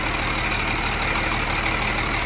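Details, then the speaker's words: Cummins 6.7 turbo diesel test engine idling around 736 rpm on HythanolPLUS fuel in a first-stage fuel test: steady, even diesel idle with no misses or stumbles and a constant low beat; running smoothly. "but this was kind of the first stage test to test the fuel and the operation of the fuel and it is running smooth"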